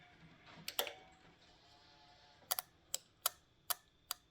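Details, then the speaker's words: Cadillac with cylinder four misfire (P0304), hot engine splashed with fuel: checking a known-good injector for comparison gives crisp, sharp ticks about three a second, a healthy injector snapping open each time it's powered. "check it on one of the other injectors here to see if we hear a you know a little sound of it opening up"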